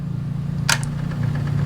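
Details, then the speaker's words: GY6 scooter (Honda Ruckus build) with aftermarket electric fuel pump wired via relay to the ignition tap: steady low hum with a click as the key comes on, pump priming the carburetor float bowl; normal fuel pump operation. "and then there is a tap that you run to your ignition wire so whenever you turn the key you can hear the fuel"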